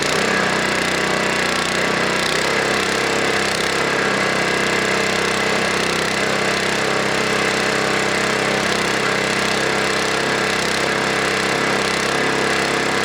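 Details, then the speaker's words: Snowblower single-cylinder engine, warmed up a minute, high idle screw on throttle arm (Torx T10) turned inward: runs fast and steady, speed shifting slightly as governed high idle is set, checking for over-rev then letting it settle back. "okay so what I was doing there was I was turning the screw inward checking for over rev um and then letting it settle back"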